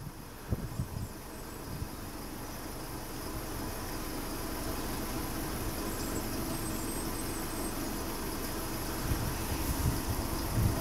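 Smooth, even idle with a steady low pulse and no skips or stumbles; the engine is running cleanly on all cylinders.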